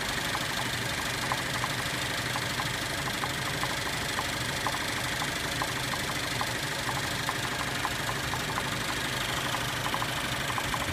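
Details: 2013 Cadillac ATS 2.0L, six-speed manual, idling unevenly and shaking with a sharp irregular knock heard with the hood open; no codes, has stalled several times.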